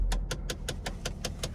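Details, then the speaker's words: 2001 Mercedes-Benz C240 (possibly C320), 135,000 miles, at idle: sharp, even clicks about five per second from the dashboard that come and go, unaffected by engine speed; a damaged blend door is suspected. "Let's take her for a little spin, even though she's click, click, click, click, click, click, click."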